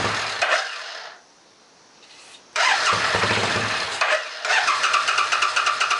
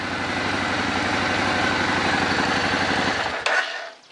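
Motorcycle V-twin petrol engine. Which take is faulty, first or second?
first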